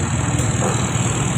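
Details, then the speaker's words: Fuel-injected Yamaha Xeon scooter after the repair, check-engine light off, with code 22 having shown before and a bent socket pin blamed; ISC reset via code 67: a steady hum settling near 1,500 rpm, under 1,800; normal idle. "Và sau đó chúng ta sẽ xem trên màn hình giám sát, lý tưởng cho tốc độ không tải là khoảng 1.500 vòng/phút, đúng vậy, nó dao động ở đó. Về cơ bản, nó dưới 1.800 vòng/phút."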